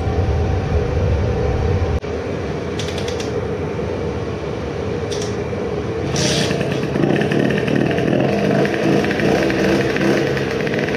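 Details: Modified moped two-stroke on its initial startup after the block porting and epoxy work, with a new intake manifold and the carburetor at a steep angle. Revving hard, buzzing with uneven popping; lots of sputtering at an estimated 15,000+ rpm.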